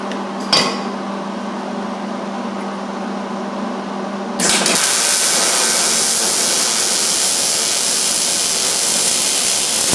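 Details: MIG welding a roll cage tubing butt joint: low hum, then the arc strikes into a steady, even frying crackle with no popping or sputter, a well-tuned weld that looked good on the outside.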